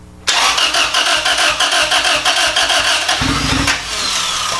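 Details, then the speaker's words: Boosted B18-swapped Honda Civic EG hatch, engine long out of the car, first start attempt after ECU tune upload: starter cranks about three seconds, brief rough catch then dies; nearly fires but won't keep running, crank no start. "so the fact that it even almost fired up is sick try it so hard dude it's trying so hard why no go huh"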